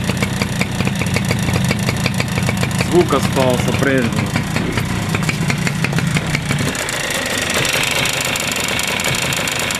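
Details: Suzuki Address 110 scooter, crankshaft at 11,373 km and piston at 6,392 km. Sharp, regular tapping over the putt at idle, still there with the variator rollers removed; owner suspects piston or pin; engine knock.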